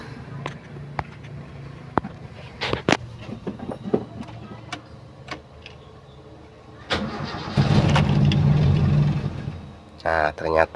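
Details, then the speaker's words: Toyota Kijang 7K with the suspect emission control module fitted: after cranking the engine catches and roars briefly, then stumbles and dies, unable to hold idle; with the original module it idles normally. "tidak bisa stasioner ya nah ini mobil tidak bisa stasioner jika memakai modul yang ini"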